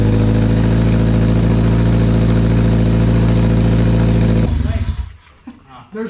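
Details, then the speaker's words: Car after fitting headers and deleting the flex pipe, oxygen sensors not yet reinstalled: steady loud idle with a rapid, even puffing chuff from the open sensor ports, then shut off; exhaust leak. "we let the car down and everything and we i was like what is that noise okay put the oxygen centers back in too that'll help"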